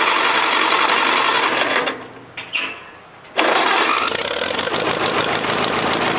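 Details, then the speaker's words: Farmall Cub tractor cold start: small engine catches quickly, briefly dips, then settles into steady, even chatter; healthy cold start. "fire right up sounds good don't look so good sounds good"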